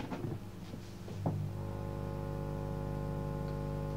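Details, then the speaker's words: Homemade valve/tube amplifier test, powered from a tesla coil project transformer: after switch-on clunks, tubes warm up quickly and a steady low buzzing hum sets in, with almost no bass. "they warm up nice and quick but can you hear that and there's almost no base"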